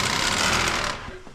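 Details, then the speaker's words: Pontiac Vibe (Toyota Matrix twin) radiator cooling fan, switched on by triggering its relay with a magnet in about 19°F winter weather. A fast, dry clattering rattle rides over the fan's whir and fades as it winds down; the fan is rough and will be replaced. "Hear it? I told y'all it makes noise. That's not good."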